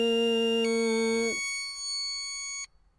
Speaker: as you can hear I'm correctly humming into the vise but not providing the full volume of air it displayed the word aboard early and this signifies this